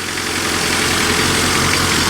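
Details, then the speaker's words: 1991 Honda Civic after 10+ years sitting, started on charged jump pack, no coolant, possible vacuum leaks; steady idle under airy hiss, no knock or stumble, runs smooth: normal idle. "So we're going to try starting it now. Oh, hey, something happened. Hey, dang! It runs smooth."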